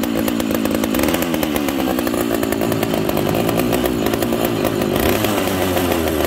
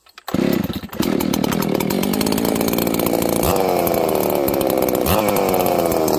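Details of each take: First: this saw has no idle screw on it so it doesn't idle very well it needs some love friends Second: now friends I like this saw uh it's really Snappy trigger response on this saw is incredible it's really fast it's a higher RPM build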